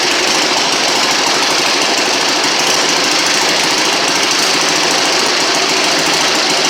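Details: 1960 Harley-Davidson Sportster Ironhead twin, first start after sitting since 2010, magneto serviced and fresh fuel: loud rapid mechanical clatter over a fast steady beat with no stumbles; running evenly, normal.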